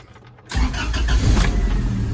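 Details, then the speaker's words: 1996 Toyota Tacoma after head gasket job catches instantly and settles to a steady even idle; earlier no-start with airbag light on key-off traced to the diagnostic port on the intake manifold. "fires right up and I can shut it off just by taking this ski import broomy wrong I guess it's fixed"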